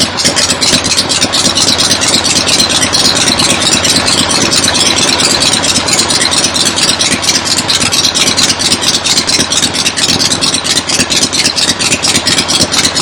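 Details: 1975 Harley XLH Ironhead Sportster V-twin, fresh rebuild, first start outdoors on a temporary lawnmower gas tank: loping uneven-firing beat at steady idle, pulses even, no knocks or rattles; oil return established, oil pump working, normal idle.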